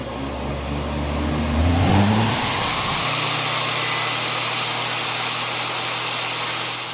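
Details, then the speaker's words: Treadmill DC motor, 95 V label, fed through variable transformer and bridge rectifier at about 100 V, no load: spins up with shifting tone then steady hum and high screaming whine near 10,000 RPM; normal. "Just now, when I used this meter, I got a measurement of right close to 10,000 RPM. And you could tell just by the sound it was making. It was screaming."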